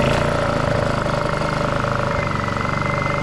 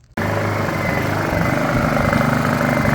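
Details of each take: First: Honda EU2000i generator, sat three months with varnished carb, after carburetor cleaning with wire through jets, run without air filter: steady, even idle hum with no hunting or surging; rough eco-mode idle fixed. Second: Honda EU2000i generator, sat about three months with varnished carburettor, in eco mode before carb clean: catches, then its pitch wanders and swells unevenly without settling; surging idle from clogged carburettor jets.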